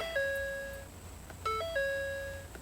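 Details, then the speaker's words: 2011 Ford F-150 that had been cranking without starting: after checking fuse 27 (fuel pump power) it now starts, but a two-tone chime repeats about every 1.5 s with the message "turn power off to save battery"; owner thinks it may need a reset. "it's still saying turn off. Turn power off to save battery."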